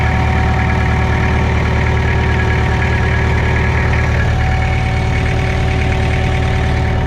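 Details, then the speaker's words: Mitsubishi BD2F dozer diesel, running on its own power again after sitting two or three years: steady, even idle chug with a smooth low rumble and no knocks or misses. It sounds healthy. "just like that folks she's humming along it's two or 3 years it's R it on its own power again sounds good too"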